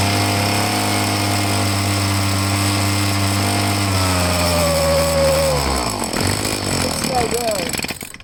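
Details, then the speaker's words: Two-stroke handheld blower started on full choke: it buzzes at a flat, strained pitch, then sags and dies instead of revving. It runs rough and won't rev; carburetor suspected, so it is to be taken apart. "It's no good. Alright, it's no good. I'm gonna have to take the carburetor apart and see what's going on with it."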